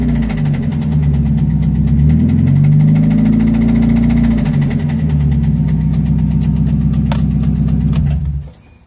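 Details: Petrol engine idling with a steady sharp knock about four per second, first suspected as hydraulic lash adjuster tick; rod knock from worn rod bearing, engine later blew.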